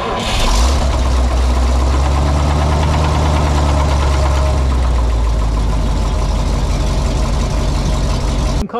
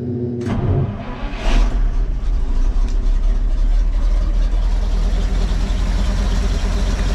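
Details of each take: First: Old dump truck engine at idle after the oil leak was fixed with a new gasket cut from oil-rated paper: deep, even rumble holding a steady idle with no knocks or misses; good oil pressure and no leaks. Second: Cheap old dump truck with new spark plugs, the fuel pump turned off because it is too strong, so the engine is running only on carburetor float-bowl fuel. Brief crank, then it catches and holds a loud, deep, steady run.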